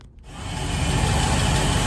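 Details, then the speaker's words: Volvo Penta 5.7L V8 after fuel pump replacement with Quantum assembly, key cycled about 10 times to prime: catches after a brief crank, smooth even low rumble, no misfire, knock or leaks; normal running. "so after 10 times turning the key on and up engine started like here [Applause] no leaks"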